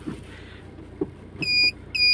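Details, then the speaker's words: Maruti Swift with a reverse-engagement fault, after gear-wire repair: two steady high beeps about half a second apart over a quiet idle as reverse engages: normal reverse warning beep. "अब, यहां reverse gear की आवाज भी सुनिए।"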